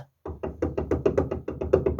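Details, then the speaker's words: VAZ 2101–2107 steering gearbox rocked back and forth: quick hollow knocks, about seven a second, from play in the worn steering box, which needs replacing. "люфт чуєте як стукає то есть рульову колонку надо міняти"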